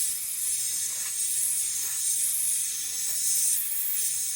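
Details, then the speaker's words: Car AC hard line running the vehicle's full length, pressurized with an air gun while traced by finger and soapy leak-detector spray: sharp steady hiss whose pitch changes at the leak point; refrigerant hard line leak pinpointed. "and I could hear there's a slight change in pitch when I ran my finger along the line."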